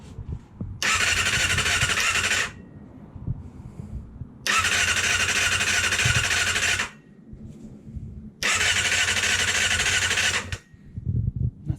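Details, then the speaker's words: Kawasaki ZXR 250 after 18 years unused, first start attempt with lube sprayed into the cylinders: three starter bursts of about two seconds each spin the engine briskly and evenly, but it never fires. Cranks but doesn't start. "so yeah let's turn the key on let's try it she turns over"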